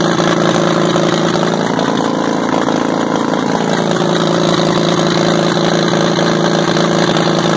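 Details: WWII-era Caterpillar RD4 bulldozer diesel, first start in 20 years, retrieved from a canyon, clutches seized so it won't drive: steady even chug with no knocks or misses; runs properly.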